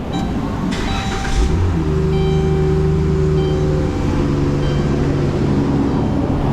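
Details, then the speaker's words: Van after new water pump, thermostat and coolant top-up: engine cranks, catches and runs steady and even with a faint constant whine; healthy and charging. "sounds like a racing van i hear some charging noises"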